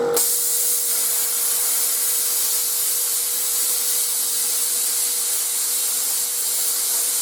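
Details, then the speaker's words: YesWelder CT2050 plasma cutting with the built-in air compressor and a standoff tip. Steady hiss of air and arc over the compressor's constant deep hum, smooth and even: normal cutting. "as you guys know i'm not a big fan of loud noises and this compressor is not that it's not an issue at all it's it's got like a deep tone so it doesn't hurt your ears"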